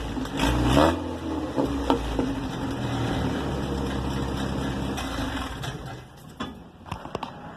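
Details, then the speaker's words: After repairing a glasspack muffler's broken baffle, which had rattled like a cowbell: the engine fires and revs cleanly with a deep, even exhaust note and no rattle; normal exhaust. "Little lie did I know that doesn't make much noise. It was the broken baffle. We have fixed that."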